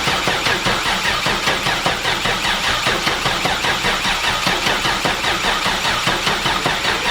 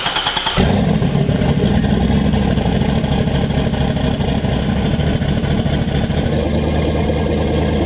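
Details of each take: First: Volvo 240 wagon with swapped Gen 4 LS V8, first start: engine runs with rough rhythmic loping pulse about 2.5 per second and an RPM error; crank sensor wiring fault, pins flipped on 58X crank sensor, needing swap. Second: LS V8 in a Volvo 240 wagon started after swapping the crank sensor pins: it catches and settles into a loud, choppy, lumpy big-cam idle that shakes the car, with good oil pressure and slightly high fuel pressure.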